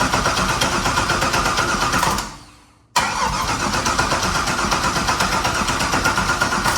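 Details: Freshly built engine start: catches after a short crank and settles into a steady, even run with oil pressure and no knocking or tapping. Normal running.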